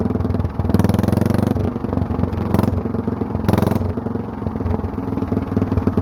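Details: Mostly stock Honda clone single with stage-1-style header and 10 lb cast-iron flywheel, cam modified; choke-on start, chugging with light clatter that swells louder and quicker as the automatic compression release disengages; normal start-up and run.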